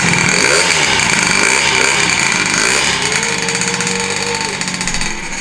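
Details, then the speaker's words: Honda Elite 120cc stroker two-stroke scooter build at first start, after a broken, ungrounded motor ground wire was replaced. A raspy rev drops back to a steady burbling idle with no sputtering, so it runs healthy. "Wow, we started right up, bro. All it was the ground. Dude, this is just fire right up."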